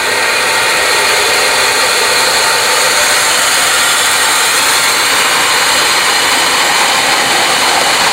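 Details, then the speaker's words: Fisher control valve in a transparent cavitation demonstration rig, rising inlet pressure pulling a vacuum at the vena contracta: loud, constant hissing rush like gravel blasted through the pipe, louder as pressure rises, heavy valve cavitation. "So the level of cavitation, vibration, and noise can get pretty high as you notice the pressure, as the inlet pressure, got higher and higher the vibration and the noise got louder and louder"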